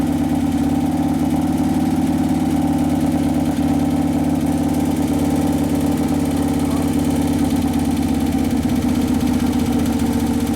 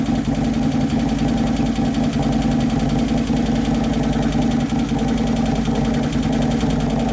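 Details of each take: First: 2011 Harley-Davidson Road Glide twin cam after motor/primary repair; O2 sensor had been on the wrong cylinder and it sounded lean earlier. Now a steady, even V-twin idle with a smooth low thump, no knocks or ticks, settling on its first heat cycle. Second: 2011 Harley-Davidson Road Glide (FLT) Twin Cam V-twin at idle after motor and primary repair, first heat cycle: idle rises and falls in a slow loping cycle, faint clatter from hydraulic lifters not yet pumped up; computer chasing lean mixture, O2 sensor possibly fitted wrong.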